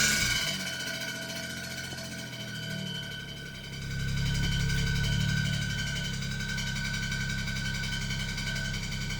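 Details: 2007 BMW 335i (E92) idling with a low, uneven rattle pulsing about four times a second from the transmission bellhousing; cause was a slightly bent flywheel.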